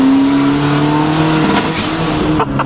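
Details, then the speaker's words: Turbo Honda Civic EG on stock internals, wastegate unplugged, boost cut set at 15 psi: engine pulls hard, then power chops out in quick stutters as boost spikes past 15; boost cut interrupting the pull. "so what's happening is the boost is still cutting it. Because that spiked past 15 that time."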